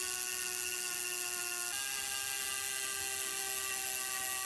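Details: Wahoo Kickr v2 trainer flywheel spun up after adding a counterweight and half a turn of side adjustment to fix high-speed vibration: steady high whir, even pitch with one small step, no rhythmic wobble or thumping; tiny vibrations remain.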